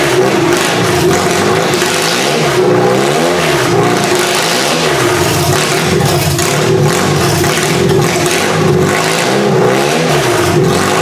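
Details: Toyota engine in a demolition derby car, started with QuickStart: it runs loud, ragged and uneven, stumbling and surging. It is not firing on all cylinders and flame is visible; owner suspects bad spark plugs, not confirmed.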